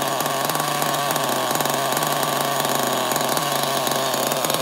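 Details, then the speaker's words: Losi XXL nitro RC engine on a test start, slightly warmed up: a high buzz at steady speed with a rattly metallic clanking. Compression got even worse once warm; owner suspects the rod hitting the crankcase or something worn. "yeah the sound is weird I know it sounds like some kind of metal metal clanking it's possible that like the rod inside is hitting the side of the crankcase or like something is worn I don't know but it doesn't sound good"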